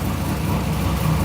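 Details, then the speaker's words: Supercharged work van engine after replacing a failed spark plug with a new NGK CR6: smooth, even low idle, steady rumble, no ticking or tapping for about a minute, the first time since the problem started. "it's been like a minute there's absolutely no noise I've never had this"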